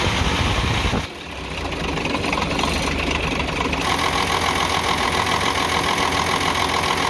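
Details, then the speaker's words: UD CK450 truck, Nissan PF6 six-cylinder diesel that suddenly began misfiring, losing power and stalling under load. Idle has an uneven, stumbling beat with a missing pulse; injection pump plunger No. 5 delivers no diesel, so one cylinder is dead. "तो जब 5 number plunger की तरफ से डीज़ल नहीं आएगा तो आप समझ जाएं जो ये 6 सिलेंडर इंजन है, 6 सिलेंडर में से एक सिलेंडर काम नहीं कर रहा, 5 सिलेंडर काम कर रहे हैं।"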